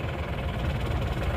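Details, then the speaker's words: Diesel engine after a broken crankshaft repair, with the timing gear replaced by an original made-in-Indonesia part after an aftermarket gear was 1.5 teeth off; steady, even low idle clatter with no misses or heavy knock, judged good. "kita coba dulu ya suaranya itu bagaimana kalau menurut saya ini sudah bagus sudah oke"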